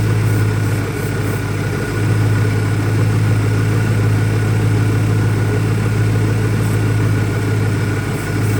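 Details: 2001 Ford Mustang Cobra with new Bosch plugs, low idle rumble that lopes and wavers rather than running even; owner asks about possible vacuum leaks, rough idle cause not pinned down yet.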